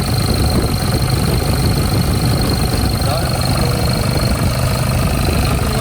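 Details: Nissan D22 Navara ZD30 diesel, started after an oil drain plug was refitted: even, steady diesel clatter at idle with a constant beat, no knocks or misses; smooth idle.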